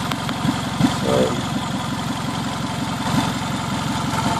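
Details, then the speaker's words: 2003 Toyota Camry, first start after an engine swap while bleeding the cooling system: rough idle with a sharp ticking puff on every exhaust pulse from a leaking exhaust flex coupler; the engine itself is quiet, with no valve noise and no knock. "but the noise that you're hearing in the video is the leak at this at this blessed coupler right here this is all exhaust noise that motor is really really quiet there is no valve noise and there's no knock"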